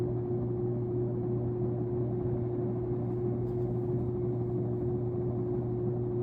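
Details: Sears Lasko Turn of the Century 52-inch ceiling fan, being tested on high before hanging: a steady low hum with a constant mid tone over an even rush of air and no knocks; the hum is judged awful, cause unknown.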